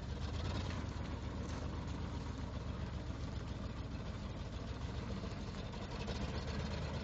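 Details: 1979 Ford F-250 after sitting 12 years: low uneven idle whose beat wavers and stumbles; rough idle, cause not yet clear.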